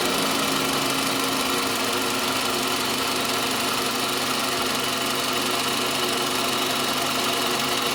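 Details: Toyota Camry 40 with 2.4 engine at idle: a sharp, ringing metallic knock taps steadily and constantly, loudest toward the alternator side; engine knock, source not pinned down yet.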